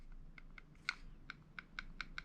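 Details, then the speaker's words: Airsoft DSG M4 gearbox during shimming, axle pushed by hand: light, sharp irregular metallic clicks from metal-on-metal contact, gear barely moving after removing a 0.5 shim; normal gear axle play, correctly shimmed. "You can still hear the clicking because it's metal on metal. I'm just pushing on the axle here."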